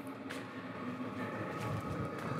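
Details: New portable diesel tent heater warmed up in shop at 68°F, 47% humidity, on Pecron E2000 power: even low fan and burner hum, faint steady whistle, soft pump ticks; running smoothly.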